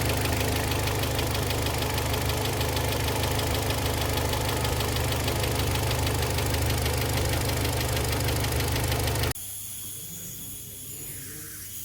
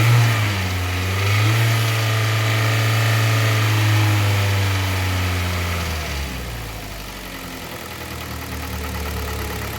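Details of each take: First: Kia Sportage 3, 122,000 km, cold idle before service (oil change from Shell 5W-30 to NGN 5W-40, throttle and injector flush): steady dull metallic knock about three per second; the knock went away after the service, and a timing chain replacement is planned. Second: Warm engine idle with a smooth rev blip settling to an even idle on a Kia Sportage 3 at 122,000 km, after service: oil changed Shell 5W30 to NGN 5W40, throttle body and injectors cleaned, filters replaced. Dull metallic knock gone; timing chain replacement due in a week.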